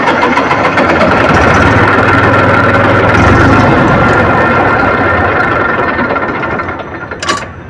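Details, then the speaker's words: Massey Ferguson 1035 DI diesel tractor restarted immediately after shutdown: long, labored cranking that slowly builds into a rough diesel run. Hard starting from a diesel injection pump problem. "तो आपने देखा इसका condition कि कितना ज्यादा समय ले रहा है स्टार्टिंग होने में राउंड ले रहा है"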